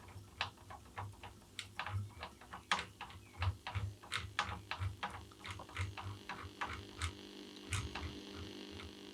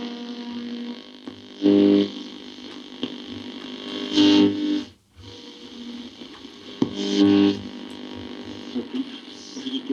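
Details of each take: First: Tube radio under restoration with original tubes and capacitors: long wave and short wave receive, but medium wave gives only a faint low hum with irregular crackles. The oscillator was suspected at first; the cause was dirty band switch contacts. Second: Restored tube radio powered through a light-bulb current limiter, working long wave band: a station comes through clearly with music and voices over light hiss and some fading, so reception works.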